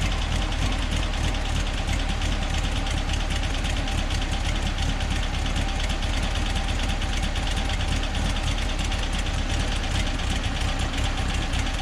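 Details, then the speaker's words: 1963 VW Bus (Kombi) with air-cooled 1835 flat-four and Freeway Flyer transmission, idling a little better while being checked for a no-start: steady, even low rumble with no misses or knocks, normal idle. "Idling a little better."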